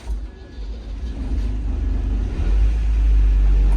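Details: Old boat engine (Marine Trader) started at the dock after Hynautic steering rebuild, warning buzzer switched off: low rumble builds as the motor fires and settles into an even, steady run; healthy start.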